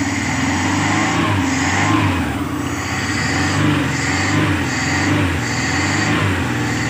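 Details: Engine after setting and replacing contact points (platina), timing set about 8 degrees before TDC, air filter not yet fitted: steady idle, even low thrum with gentle slow swells; running smoothly with points set correctly.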